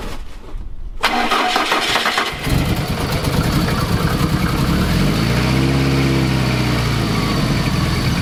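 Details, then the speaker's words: Fiat Coupe 16V turbo after fitting a new coolant temperature sensor and a stiffer GFB blow-off valve spring: fires after a short crank and settles into an uneven idle that surges and dips; still rough, cause unknown. "The second part is a new coolant temperature sensor to hopefully fix the idle issue."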